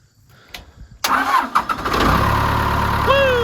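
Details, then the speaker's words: 4-cylinder Cummins skid steer with a bad battery, jump-started with a Topdon JS 3000 pack: brief cranking, then it catches at once and settles into a steady, even idle; a clean, healthy start. "Fired right up."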